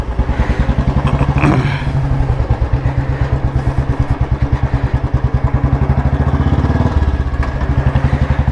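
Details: Royal Enfield Electra (model launched 2001–2002, first with CDI ignition), kick-started, after fixing complaint of missing and poor pulling despite repeated carburettor cleaning: steady, even big-single thump at relaxed idle, firing clean with no misses; engine healthy.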